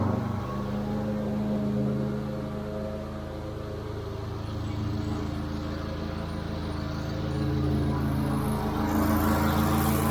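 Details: Wright Stander stand-up mower, which previously died once the choke was opened: after a carburettor replacement it runs at a steady, even speed with no surging or dying. A tank grommet fuel leak remains.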